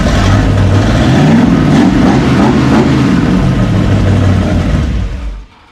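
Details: Burned-up rat rod "Doje'llac" V8 with freshly done carburetors, first run after the fire; strong even rumble, revs cleanly without misses or knocks before shutoff; normal running.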